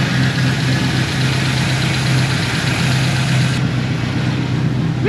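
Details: L98 LS V8 swapped into a Toyota Land Cruiser 80 Series, first start before dyno tune, with an oversized cam: loud, deep exhaust rumble at steady lumpy idle, no misses or knocks, sounding rowdy like a party; normal idle.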